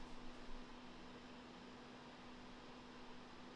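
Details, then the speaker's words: Macintosh TV on 240 V with self-setting power supply: low steady hum, fan and hard drive whirring, LED on, but no startup chime and no boot or screen image; slow power supply suspected, not confirmed. "we get the hum and the flip which is normal let's go okay no chime i think it's doing the same thing hmm"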